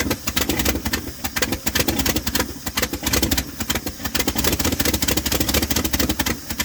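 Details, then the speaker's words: 1978 Dodge D100 Step Side after fuel pump swap: slow, uneven, stumbling idle close to stalling; owner thinks it's idled down too low and carburetor screws or mixture need adjusting, unconfirmed. "It's running pretty rough. Almost like it's idled down too low. Um could just be one of these screws need adjusted."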